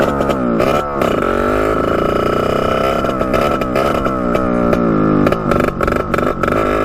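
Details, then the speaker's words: 1989 Yamaha YSR 50 two-stroke, bump-started, full throttle in first gear: high revving buzz that keeps cutting out and stuttering, breaking up badly; owner suspects a spark problem, cause unconfirmed, new spark plug planned. "alright we just get that with the GoPro ride as you could hear it just breaking up really really bad so I'm not really sure what that could be"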